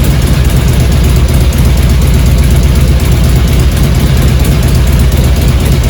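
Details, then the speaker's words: 2002 Harley-Davidson Road King Classic Twin Cam, first start in neutral after a cam chain tensioner replacement and new spark plugs: a deep, even loping idle with no ticking or rattle; cam chain noise gone, normal idle. "much quieter clearly uh cam chain noise is gone"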